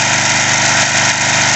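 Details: Craftsman 3.5 hp edger/trimmer after carburetor cleaning and idle screw set about 1 3/4 turns: small single-cylinder buzzing at a high, even pitch with a steady beat and no stumbling; smooth, healthy idle.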